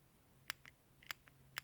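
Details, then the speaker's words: 2013 Jetta Sportwagen TDI fuel pressure regulator on the return line, removed and bench-tested on a 9-volt battery: three crisp pairs of clicks in a quiet room as the solenoid switches on and off normally. "hear that little click the solenoid is clicking in there"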